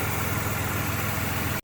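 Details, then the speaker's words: GM 3800 V6 (Grand Prix) driving smoothly on a cold day after replacing the failed coil pack that caused chugging and rough running; even, deep drone with no stumble. Check engine light still on but the engine is fixed. "Go fire it up, it'll work just fine. Look at that, smooth as can be."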